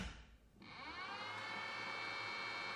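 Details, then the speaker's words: Voxel PLA two-stage filter fans, freshly wired into a 3D printer enclosure and plugged into the wall. After a short quiet gap they spin up almost immediately to a steady, even, clean high whir with no rattle or scrape. "you can hear those fans spinning up almost immediately as soon as you plug it in. That's a good thing. That means it's going to work, I hope."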